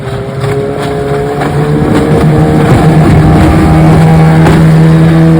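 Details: Restored 1996 Johnson 15 HP outboard, model J15RED0, on a lake test after a stuck thermostat and its gasket were replaced; it was thought to have caused overheating, heat-sensor shutdown and bogging. Revs build smoothly to a steady high drone with no bogging. Normal running.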